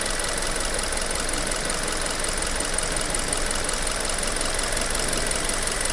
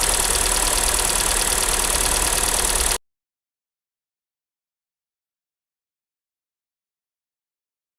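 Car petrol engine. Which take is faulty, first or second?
second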